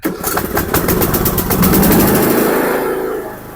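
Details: Craftsman riding mower after fixing gas in the oil, new air filter fitted, oil at full, choke on: quick chugging pulses catch into a steady run that settles; clean start, running fine.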